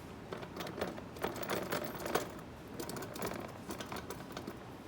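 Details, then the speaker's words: Kubota tractor loader control handle vibration: light, fast metallic chatter in uneven bursts from a loose washer in the upper handle joint, too much slop; fixed with O-rings. "we have found our sound it's this washer right here that idle all you hear"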